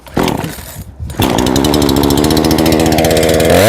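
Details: Two-stroke chainsaw after clearing flooding with repeated pulls: a few starter pulls, then it catches into a steady, even buzz with no misfire; normal start and run.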